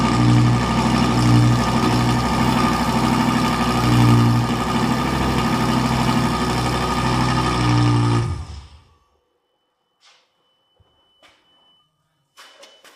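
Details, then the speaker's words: Fire-damaged Lamborghini Gallardo LP520 during repair, started after being blown clean with air: rough uneven stuttering idle for about eight seconds then dies, not responding to throttle, many fault codes; misfire, cause not confirmed. "The car isn't responding to the gas, so obviously there's still a problem. He's also giving quite a few errors."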